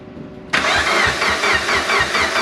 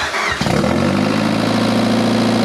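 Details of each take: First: Project car started and run for the first time in almost 10 years after 2 years of work, no blow-off valve fitted: short crank, catches cleanly, settles into an even pulsing idle with no misses. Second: Turbocharged project car first started after almost 10 years, with straight header exhaust, 1000cc injectors and no mass airflow sensor fitted: loud raw exhaust catches, holds high rpm, then sags and stalls. Owner suspects the missing MAF sensor.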